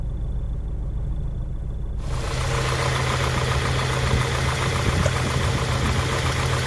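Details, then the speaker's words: 1991 Honda Prelude Si after new NGK spark plug wires: still misfiring, low rough idle with surging, shaking and near-stall stumble; injectors tick normally, owner hopes distributor cap and rotor will fix it. "Nope, I think still misfiring. Nope, idle surge. This is how low it idles. A rough idle, shaking very. It feels like it's about to stall is what's happening. Damn, misfire."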